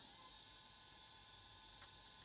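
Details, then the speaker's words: Olivetti Quaderno PT-XT-20 laptop hard drive after freeing stuck heads and parking the head, cover off on the bench: faint steady high whine with soft hiss, no clicking or scraping, drive spins up normally and appears fixed. "we go so I think that this drive here is it's fixed now"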